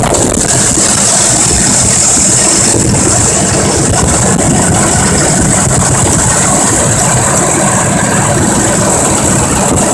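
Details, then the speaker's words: 2005 Ford Expedition 5.4L Triton V8 with a failing transmission forward clutch: steady idle after startup with fast, light clacking from the top of the engine; valve train tap suspected, not confirmed. "the first thing I want to pay attention to when I get this vehicle started is the clacking noise that's coming out of the engine and if you watch my other Ford videos with the four tighten it you might even recognize the clacking noise"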